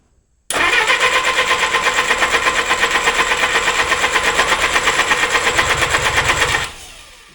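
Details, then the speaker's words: Freshly rebuilt Willys Hurricane engine in a 1956 Willys CJ5, first start attempt: starter churns evenly about three beats a second for six seconds without catching; fuel pump not delivering fuel to carburettor, owner suspects it dried out sitting. "So, we got a problem. Well, first thing, fuel pump ain't pumping fuel up to the carburetor. So, poured a little bit of fuel down the bowl and it lit right up, ran for that second."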